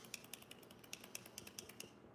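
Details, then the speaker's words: RC vehicle center differential carrier, upgraded aluminum Amazon part replacing stock plastic one, shaft worked by hand; light rapid clicks from back-and-forth play, owner thinks it may need a shim. "That is not good to have play like that. This moving back and forth."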